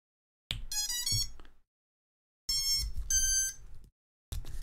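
Two bursts of rising musical beeps a couple of seconds apart, then a third starting, the usual ESC power-up tune, all normal.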